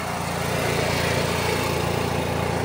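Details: Onan 4000 watt RV QG generator running after tune-up (new air filter, carburetor, spark plug, oil), previously surging: steady even small-engine buzz, no surging or misses, constant speed; running smoothly.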